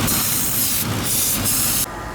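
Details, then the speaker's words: 2003 Infiniti FX45 running with a vacuum leak; loud steady airy hiss over the engine, pulsing a few times before dropping away, air drawn past a leaking rear intake manifold gasket, with more intake leaks up front. "It's coming right from this intake gasket back here for sure. It is hissing out there. We've got intake leaks over here up front."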